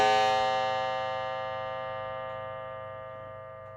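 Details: Mantel clock after cleaning and service: one clean gong strike that rings clearly and fades slowly without buzz or dull thud, unlike before service; chime sounding as it should.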